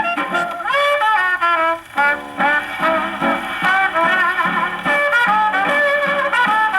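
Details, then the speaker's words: Paillard model 302 portable gramophone, suspected late 1930s, with a factory large reproducer and small horn, playing a late-1920s Tommy Dorsey electrical record on low tone: pinched, blaring, bass-less sound with harsh peaks; the record overwhelms the small horn. "Now, it doesn't sound horrible. I don't want to say that. But it sounds like the music is trying to shout itself down the horn because it's too small. It's too small for the record."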